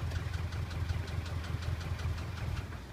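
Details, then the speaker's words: Subaru EJ206 engine at idle: soft uneven knock about two to three times a second; previously appeared on start and went away once warm, now present constantly; cause not determined. "Вот, это такой звук. Вот. Сейчас. И проходил потом. При нагреве."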